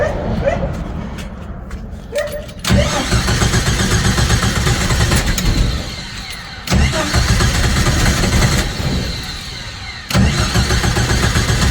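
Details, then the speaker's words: 1990 Jeep YJ 4.2L 5-speed, choke set, new fuel pump: the starter churns in repeated bursts with pauses and no catch while fuel is drawn up into the dry carburettor bowl; extended cranking until fuel reaches the carburettor. "so let me see choke is set so we just need to get some fuel"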